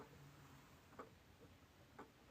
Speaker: you can hear it moving and then this one right beside it also ticks but most of them don't tick